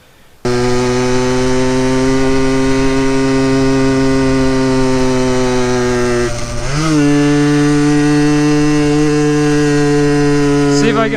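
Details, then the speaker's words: Yamaha RX50 50cc two-stroke with low compression climbing a hill: buzzy drone holds low revs, dips and barely picks up under load; power loss, cause unconfirmed. "a little bit frightening because this thing sometimes has trouble making it up hills I don't really know why that is maybe it's just a 50cc thing"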